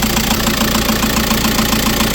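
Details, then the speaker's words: 2010 VW Caddy 2.0 SDI diesel, first start after fuel system primed: even diesel clatter at steady idle with regular clean pulses, no misses or extra knocks; normal diesel idle. "Well, there we have it. A bit of easy stuff. It's up. It's running."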